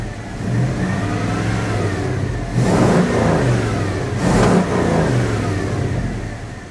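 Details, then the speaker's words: 1980 Dodge W200, Magnum 5.9L V8 with Holley 600 cfm carb, after changing to 66 jets, engine cooled: even idle, throttle blips climb cleanly. Slight bog, but clean held at 2500 and 4000 rpm. Normal revving. "all right this seems to be working good here the engines had cooled down to like 15 so it's got just a tiny little bit of bog but not real bad when I held it up to like 4,000 RPM it super clean"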